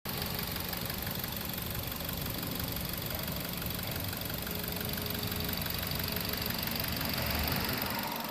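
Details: 2008 Mazda 6 petrol engine at idle: slightly uneven, stumbling beat, the mark of a slight misfire.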